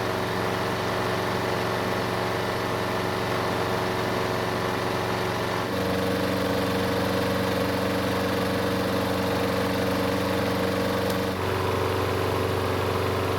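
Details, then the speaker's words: Craftsman push mower, Briggs engine with auto choke, after a basic carb service: started cold on the first pull and runs smooth and even with a steady hum and one small speed shift, no misses or knocks; healthy. "thank you so even after a basic carb service it started with no issues on the first pool mind you which is pretty good for an auto choking system"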